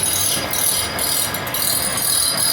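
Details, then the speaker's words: Dual Express grinder sharpening a Toro Walking Greensmaster Flex 21 reel: hissing grind keeps dropping out and returning about every half second, sporadic contact instead of constant spark; possibly reel imperfection or one side set too high. "So that's when you want a constant spark all the way across. It's a little bit sporadic right there. That might be an imperfection in the reel."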